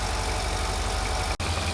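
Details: Mercedes SL55 AMG (M113K, almost 200,000 miles) after fitting a new double idler pulley assembly and tensioner pulley, idling: a steady, even rumble with no belt squeal, chirp or pulley rattle; belt drive sounds healthy.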